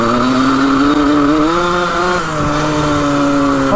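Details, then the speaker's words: 1980 Suzuki RM125 two-stroke dirt bike with worn rings and old plug: thin high wail holds flat-out revs for seconds then suddenly drops; throttle stuck open briefly, slow to rev out. "Oh, the throttle got stuck there for a sec. That was a little sketchy. Takes a while to rev out all the way."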